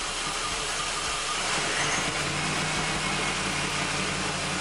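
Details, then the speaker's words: 2005 Chrysler 300C 5.7L Hemi after rebuild, first start: steady low V8 idle under a loud hiss, no ticking or valvetrain chatter; earlier shaking possibly from bad coils; sounds a lot better, normal idle. "sounds a lot better though"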